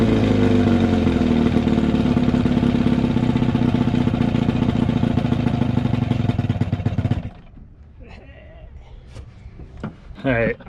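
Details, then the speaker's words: 1979 Johnson 15hp two-stroke outboard after sitting 2+ months, a few lines replaced so it no longer sucks air: steady even two-stroke burble about seven seconds before shutoff, no stumbling or hunting; normal running. "alright so that was that was much easier than expected looks like replacing those few lines helped a lot it's not sucking air anymore"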